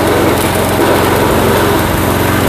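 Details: Old Craftsman walk-behind trimmer with Briggs & Stratton Quantum engine, after carburetor cleaning and drive repair, at full throttle: steady, even single-cylinder buzz with no misses or surging; normal running.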